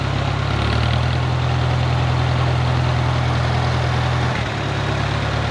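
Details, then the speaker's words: 1951 Farmall Cub tractor after a carburetor clean and fresh fuel, just started with plenty of oil pressure: a steady, even low idle with a smooth rhythm and no knocks or misses; runs cleanly. "It runs good too. It sounds good. And these motors just purr."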